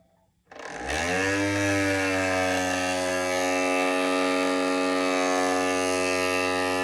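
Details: Matterport Pro3 camera, suspected early-unit VDrive (lidar mirror motor) problem: motor spins up from silence into a loud, steady buzzing whine with hum underneath, noisier than it should be; cause not confirmed.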